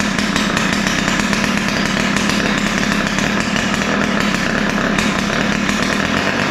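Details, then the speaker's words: Ryobi two-stroke string trimmer: high, raspy buzz with ragged, unsteady idle and rough top end; both carburetor mixture screws set too lean. "so um you can hear that it runs but it doesn't run that well um it sound sounds like both mixtures are lean"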